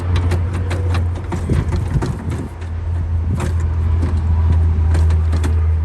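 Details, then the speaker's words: Cummins-engined 352 truck in neutral, injectors out, with new starter solenoid, checked for seizure: steady low starter drone with uneven thumps as the engine turns over freely without catching; cranks fine, not stuck. "All right, there we go. It's cranking. It's not stuck."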